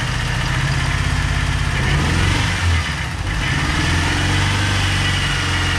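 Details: Ford Turbo Coupe parts car, first start after fuel added, integrated control module jumped and ignition switch replaced: loud uneven running with lumpy wavering low note; rough running, likely misfire, a wire on the wrong cylinder noted.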